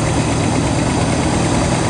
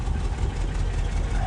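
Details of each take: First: 1967 Lincoln V8 idling cold just after start, exhaust leaks mostly fixed: uneven, lumpy low rumble with a slight stumble; rough idle the owner attributes to the engine being cold. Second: 1967 Lincoln at idle after exhaust leak repairs, crossover pipe clamp still to retighten: short, quiet, steady exhaust note with no puffing or ticking from leaks; sounds healthy.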